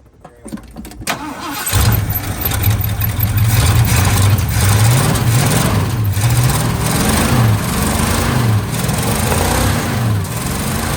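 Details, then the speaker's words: 1979 Ford F350 dually, 400M small block V8, auto, after sitting about 22 years: catches after brief crank into deep even rumble, picks up cleanly on throttle blips; sounds much better after plugged exhaust found as cause of rough running. "Boy, that sounds so much better."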